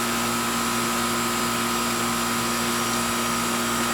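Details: R22 Goodman AC outdoor unit, house not cooling: constant hum with steady, even tone and airy fan rush, no rattle, buzz or cycling; unit running fine.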